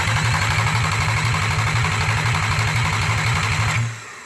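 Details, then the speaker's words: 24v VR6 engine with 6-speed manual swap package, cranking on starter for quick compression check: brisk, perfectly regular chug, every stroke the same; compression sounds even and healthy, formal test still to be done. "can hear it's nice and even. You know, I'll do a compression test on it, but when I hear them sound like that, generally they're okay."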